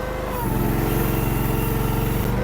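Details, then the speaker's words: Derette DRT450 Chinese mini skid steer turning on grass. Engine note drops and labours, then recovers as the load eases; it also pulls the track and tears up grass. Engine bogging under load. "see how it's struggling and that's when it started pulling the track and it tears up your grass"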